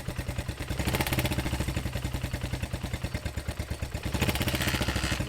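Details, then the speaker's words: Small Honda XR motorcycle engine after a thrown timing chain and bent valves, first start in several years: short runs with a quick, even ticking over the exhaust beat from the head, then it stalled. "It runs, but something doesn't sound right. Sounds like there's something going on in the head."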